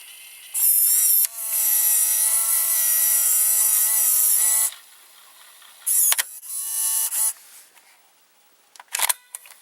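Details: Opened JVC GR-AX33 VHS-C camcorder, whole tape loading mechanism exposed: a small loading motor whirs high and thin for about four seconds, then in shorter bursts. Loading works normally; the camcorder's picture and VCR buttons don't work.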